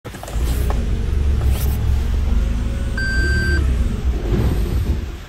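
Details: Toyota Prius PHV GR, 80,000 km, after stopping engine mid-cranking; code P035313 igniter circuit, suspected ignition coil damage: heavy uneven rumble on restart, short beep, engine sags and stalls; cause suspected, not confirmed.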